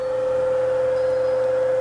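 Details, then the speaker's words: 1935 Atwater Kent Model 145 radio during IF alignment, signal generator on the first detector (2A7 tube), volume up, vacuum tube voltmeter on 5 V scale: clean, steady mid-pitched test tone holds without wavering, peaked. "Let's crank up the volume. See what if we get. We should get a tone, and we should get a the deflection on the meter."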